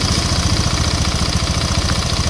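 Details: Honda Vario 150 scooter idling with a steady, quick, even putter and no misses or knocks after a no-crank starter fault was traced past the starter button, wiring and starter relay to the side-stand switch circuit; normal idle.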